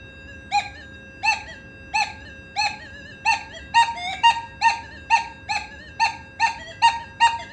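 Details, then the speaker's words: Nokta Makro Legend metal detector in a gold nugget setting over a fine gold nugget: clear high chirps about twice a second, one per sweep, louder and clearer after two tone settings were raised; clean target response. "Bunyi dia lebih loud, lebih kuat, lebih jelas bila saya naikkan dua benda yang pada tone tadi tu."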